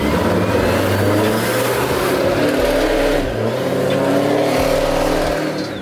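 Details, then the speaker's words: Procharged Pontiac G8 V8 after a piston replacement, accelerating: strong, even growl rising and falling with throttle, no knocks or misses; owner says it has more compression than before. "That shit feels better than actually before. Like, there's more compression to it."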